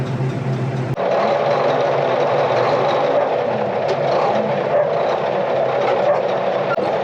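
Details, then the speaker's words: International TD20E bulldozer diesel after servicing, oil good: steady, even drone at constant speed with no knocks or misses; the engine is not charging and the hour meter and voltmeter are dead; normal running. "Alright, so sounds good, oil's good, but still no hour meter and voltmeter."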